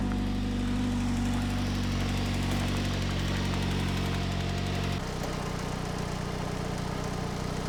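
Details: 2007 Ford Focus SE 2.0 petrol, warm after a few minutes of running, just after replacing the belt tensioner, idler pulley and serpentine belt and refitting the engine mount: steady idle with no belt squeal, quieter than before, with only old tired-engine background clatter.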